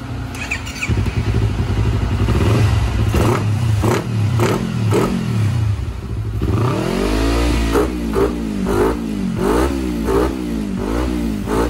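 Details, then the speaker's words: Yamaha R25 twin with KEA Speed 40cm exhaust and velocity stack, re-tuned to CO 8 after CO 1 still hesitated at low rpm: repeated revs rise and fall cleanly and responsively from low rpm with no stumble; smooth, even running. "Oke jadi sekarang kita pakai settingan co8 Ya teman-teman dari sini kelihatan suaranya lebih responsif gitu dan suaranya tuh rata gak ada ngok di RPM bawah lagi gitu"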